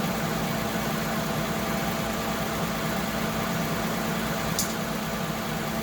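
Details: Lexus ES350 / Toyota Camry 3.5 V6 2GR-FE, after alternator replacement, left running while checking coolant: quiet, smooth, even idle with a steady low hum, no knocks or whine; engine healthy.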